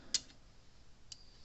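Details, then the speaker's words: Gallagher Power Plus S50 solar electric fence charger after new transformer fitted, output almost 10,000 volts: soft, crisp ticks about one second apart, quieter than before; normal pulse. "See how much quieter it is. We're getting almost 10,000 volts out of this thing."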